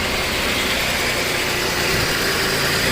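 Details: 1989 Buick Reatta 3.8L with random stalling, hard starting and rough idle despite many new parts, started after the battery was refitted: the engine settles into a steady, even idle with no misses, knocks or stumbles.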